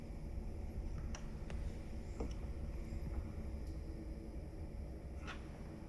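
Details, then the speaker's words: Pecron E3600LFP portable power station: steady low whooshing cooling fan hum that starts when inverter temperature reaches about 46–47; normal fan noise, unlike a previous unit's higher-pitched fan that kept running. "so that right there that's the fun noise that makes when it hits about 46 47 on the inverter temperature"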